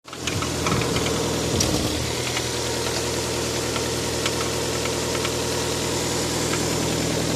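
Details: Toyota 7A-FE engine settling to idle with a fast, sharp ticking knock riding over the hum throughout; an unexplained mechanical knock of unknown cause.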